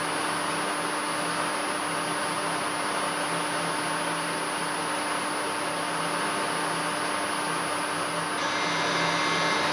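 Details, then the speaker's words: Three-phase motor wired in star, run from single-phase 220V through a 1-phase-to-3-phase 220V variable frequency drive: steady high switching whistle over even motor hum, no knocks; normal carrier whine at low carrier frequency, harmless. "A mí en principio este ruido tampoco me molesta, así que lo voy a dejar así."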